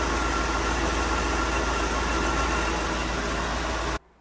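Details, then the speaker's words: 1995 Oldsmobile Aurora, engine running: a thin steady high whine while the wheel is turned, with very heavy steering, then the whine cuts off; the power steering pump is failing. "it makes the whining noise when I turn the wheel which is a very familiar sound I've experienced with my envoys"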